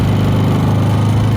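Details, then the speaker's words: New Predator 3500 watt generator on first run, output reading 124 volts: steady, even low drone with no misses, knocks or surging; started easily and runs quiet and smooth. "i'm really happy with how easy it started it runs really quiet and uh super easy to get going get set up and get started that first time"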